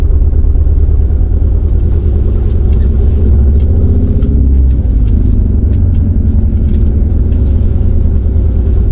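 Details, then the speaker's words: 2016 BMW 428i xDrive with cylinder 2 misfires, flashing engine light and smoke above 2,000 rpm, on a test drive: deep engine drone with an uneven, stumbling, cutting pulse; still misfiring, choppy and rough under load. "That's shaking. I don't know if you guys can hear it or not, but it's like it's cutting. It's not like like it doesn't seem right."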